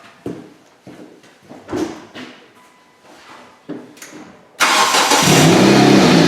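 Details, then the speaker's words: 2007 Hyundai Tucson in for P0102 MAF circuit low code, at startup: slow cranking pulses, then a loud raspy idle with a puffing exhaust edge; suspected broken flex pipe causing an exhaust leak, not confirmed. "Oh already giving me a bad taste in my mouth because you guys hear it I hear it sounds like it's got a broken flex pipe"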